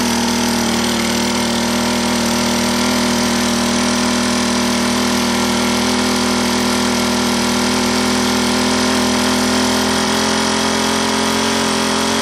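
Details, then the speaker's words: Honda GX25 four-stroke (Honda HHT25) after rebuild with new piston, cam, timing belt and valve job, heat cycling without full throttle: fast steady idle, even buzzy note, no knocks or misses, running normally. "So yeah, it might be good just to start it up, let it kind of heat cycle like that a couple times."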